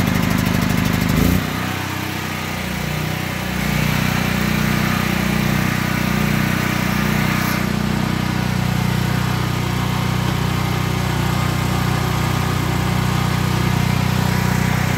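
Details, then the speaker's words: Predator 8750 gasoline generator inside a ventilated shed after over two years of use, full tank, choke on; catches after a brief crank and settles into a steady even drone, exhaust fan running; normal running, shed reduces noise. "And there it's running. This shed does a lot of help with the noise cancellation. I mean, it's not completely making it quiet, but it is helping reduce some of that noise."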